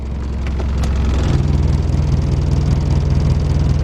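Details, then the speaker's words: 1981 Mercedes-Benz 240D diesel, cold: uneven clattering low idle with a shaky pulse deepening when put into Drive, whole vehicle shaking; rough cold running that improves as it warms, cause not pinned down. "on't like the way to thing running running kind of rough few hundred ninety nine thousand miles nothing"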